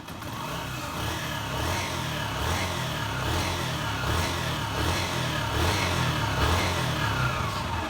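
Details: 2008 Honda CG 125 single-cylinder engine running and revving smoothly, no knocking or ticking, after worn pushrod and valve tips were found for a strange engine noise; oil was checked rising to the head.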